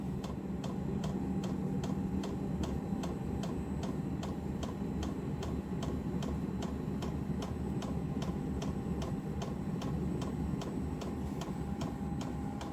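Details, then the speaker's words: Diesel heater indoors on a Chinese power supply with battery backup, during startup at 11.3 V, set to high: crisp, regular dosing pump ticks about twice a second over a soft fan hiss; normal knocking only while firing up. "Hear that fuel pump knocking a bit. You hear it knocking as it's firing up, but you won't hear it once it's running."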